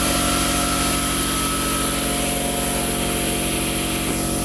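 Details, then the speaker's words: Quincy 5 hp garage air compressor on vibration pads, heard from a little over 10 feet while building pressure: a steady, even pumping hum with a fast, regular beat and no knocks or rattles, so normal running. "all right I'm back away so you can hear me [Music] this is about you know a little over 10 feet that's what it sounds like"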